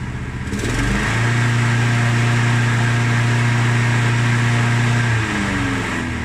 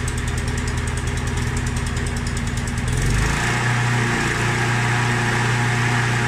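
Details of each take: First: Mountfield SP536ES key-start self-propelled mower with an RM55 160cc single-cylinder engine, run before its service. It rises to a steady, even drone and drops at shutoff, but runs a bit smoky. The drive isn't working; the belt reportedly came off. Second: Mountfield SP536ES self-propelled mower, RM55 160cc engine, after service, new battery and drive belt: steady, even engine drone with a clean low beat, no misses or knocks. Normal running.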